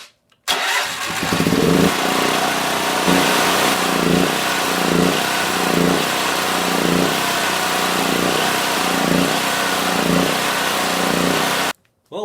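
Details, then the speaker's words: Predator 8750 generator, about 3.5 years old with over 60 hours: engine speed rises and falls about every second, hunting instead of holding steady. A dirty carburetor is the cause, fixed by replacing the carburetor with a tune-up kit. "as it was running I noticed it was doing a lot of searching as you saw before I started the video and I decided well probably time to go put a new plug-in in and probably clean it all off"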